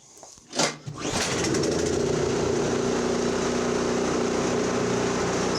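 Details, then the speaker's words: Toro 721 snow thrower, small single-cylinder engine, after no-start repair. Pull-started, it settles into an even, steady run with no misses or knocks. Normal running; only oil changes needed. "There we go. If we go any further with these, all it's going to be is oil changes, because everything else is working fine on them."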